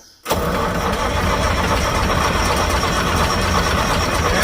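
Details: Massey Ferguson 550 diesel tractor, first start since 2019, bleeding injector lines: long steady cranking with starter churning evenly, no firing; cranks but won't start with air still in the lines.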